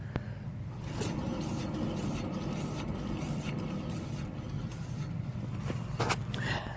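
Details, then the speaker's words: Hand-spun non-driven front hub on a Toyota Altezza/Lexus IS300 gives a rough, gritty rumble with sharp clicks and some rotor scraping, audibly worse than the other side: a worn wheel bearing due for replacement. "you hear the stink the sound of the the rotors scraping but at the same time listening carefully in comparison you hear the noise of the will bit oh yeah being here audible difference"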